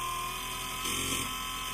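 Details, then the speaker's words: BOMA inrunner motor freewheeling at 72 volts with added heatsinks: steady electric whir with a brief rough fluttering stutter, then smooth again as rpm rises; cause unknown, owner wonders if rpm is too high. "how it does that little funky sound right there still going faster and now it's totally smoothed out again"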